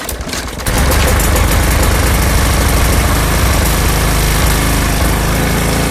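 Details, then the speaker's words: 2021 Briggs & Stratton push-mower engine (Black Max, MNA152905) with a severed crankshaft, likely from an impact, still holding good compression, catches after a short crank and runs at a steady, even rapid beat with no knocking; normal running. "All right. That actually sounds pretty good. I don't hear any knocking or clamoring going on."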